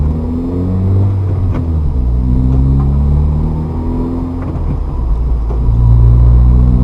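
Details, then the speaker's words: Manual car upshift with gas applied at the clutch bite point: engine note climbs sharply after the gear change while the car barely pulls; clutch slipping on upshift, causing unnecessary clutch wear. "this is sometimes the issue when people try to give gas at the buy point"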